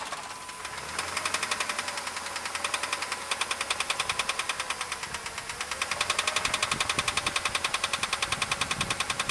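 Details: Jeep Grand Cherokee, started after an oil change to high-mileage synthetic oil plus Hyper Lube additive: sharp, regular ticking knock about three to four per second over idle, rising with revs; owner suspects rod bearings, not confirmed.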